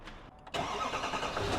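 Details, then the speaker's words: Duramax L5P diesel at start-up with about 12 codes and a 65 mph speed limit: cranks briefly, catches, and settles into a rough, shaking idle from a misfire. "See how bad this truck is running and how much it's shaking. Right now, the engine is misfiring and we're going to show you why."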